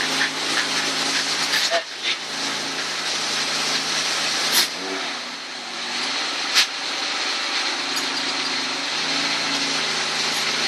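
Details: Honda Accord after installing a Zipmotor eBay air intake and J2 Engineering catback exhaust, started up: steady running with a strong intake hiss and two brief throttle blips, no check engine light; sounds healthy.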